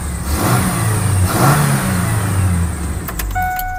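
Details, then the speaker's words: 1998 Ford Ranger after a new Walker cat-back exhaust install, with the catalytic converter heat shield secured with vise grips: the engine revs and settles with a deep, smooth exhaust note and no squeaks or rattles. Normal revving. "Uh, let me rev it up. Let's see what happens. Sounds like a normal uh Ranger now."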